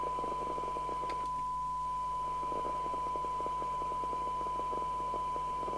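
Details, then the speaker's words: Midland 2001 UK FM CB radio (CB27/81) on test set before repair: squelch open, steady hiss and clear steady tone; receiving normally, 1.2 µV for 12 dB SINAD. "I just want to see whether the set is recoverable. If I can hear it receiving, turn the squelch down."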